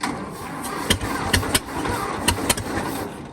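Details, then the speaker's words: 1922 International truck, sat 30+ years, being started after a stuck valve was freed with PB Blaster and heat; timing suspected off. Slow, labouring crank with a few irregular heavy turns and no catch; the starter is dragging. "come on the starter's still stuck come on okay come on it's spin all the PB Blaster I put down in there earlier out because the valve wouldn't give up the fight"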